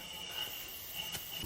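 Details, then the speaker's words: 2010 Nissan Xterra 4.0L VQ40DE, 203K miles, on engine stand, leak-down test with intake valves closed: faint steady hiss of air escaping past an exhaust valve; cause not yet found. "exhaust valve I can hear it so let's uh Buzz this exhaust manifold off see if we can figure out why"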